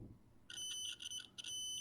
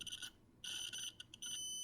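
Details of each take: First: Adafruit Feather M0 Bluefruit with soldered header pins in a breadboard, continuity test: high piercing beep drops out briefly then holds solid; pins seat deep enough in breadboard for good contact. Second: Adafruit Feather M0 Bluefruit with soldered header pins seated in a breadboard, continuity test: high beep chops on and off then holds; connection present but not solid, signal cutting out.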